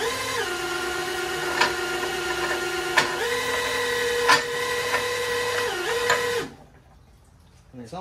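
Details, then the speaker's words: Chevrolet single-turbo race car mechanical fuel pump driven by drill to prime fuel system, wrong then correct direction; steady drill whine at one pitch, steps up once, then stops, pump turning freely — normal mechanical fuel pump operation. "that's the wrong way you hear pumping Fuel and then we turning it the correct way"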